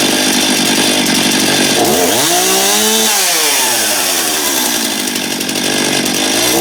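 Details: Stihl MS271 chainsaw test run after replacing a worn, grooved clutch drum. A sharp high buzz climbs to full revs and drops back smoothly with no stumble or rattle; running clean.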